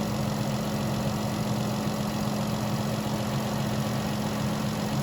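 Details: Vehicle with a no-crank, no-start in about -10 cold after a new battery: smooth, even idle with a faint steady hum, no knocks or misfires, charging at 14 V; normal idle.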